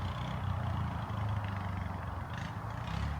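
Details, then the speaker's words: 2005 Kodiak 400 ATV after a carburetor rebuild and cooling fix, ridden under hard throttle through woods: strong, even low thumping, pulling cleanly with no stumble or miss. "why because that thing's gonna run better than it has in years if you can't stop it you're in trouble listen to him rip it down through these woods"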